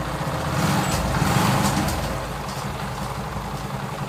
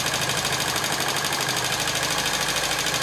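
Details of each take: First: TVS XL100 (Super XL 100cc) moped single-cylinder idling after tappet adjustment, kick-started and heard close up: even, steady beat with no tappet clatter; engine set perfectly, smooth, no problem. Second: TVS XL100 (Super XL 100cc) idling, before tappet adjustment: fast, even light ticking about three a second from the head. Noise comes from loose tappet nut screws under the side head cover.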